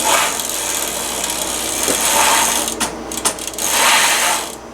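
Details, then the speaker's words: Bicycle wheel spun by hand during tire and tube replacement; dry rasping, ratchety grind with uneven clicks, rougher than a smooth hub; owner suspects bad hub bearings, not confirmed. "definitely not right there. I wonder if the bearing is just bad. That could be too. The bearings could be going bad in this. I don't like the way that sounds at all."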